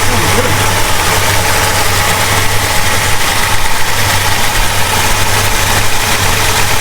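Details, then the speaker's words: 1969 Plymouth Road Runner 440 V8, first start after 20+ years sitting, on jack stands, heard from inside the car: deep, steady, even idle with no misfires or knocks; normal cold idle. "Oh, yeah. She's idling."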